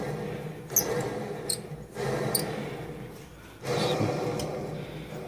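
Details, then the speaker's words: Fairly new Dodge Ram alternator in a Jeep Cherokee XJ on 36s, cooked by an oversized wire and winch demand, turned by hand: gritty rumble from ruined bearings, sharp squeaks from brushes on lifted commutator bars. "Hear the bearings, and hear the brushes squeaking."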